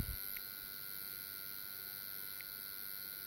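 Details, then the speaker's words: Old AN/PDR-20 radiation detector (one of three tubes missing) switched on: a faint steady high buzz with a couple of soft clicks over quiet hiss, the vibrator power supply running normally while picking up background counts. "you plug it in and the vibrator on that it's a vibrating supply in here"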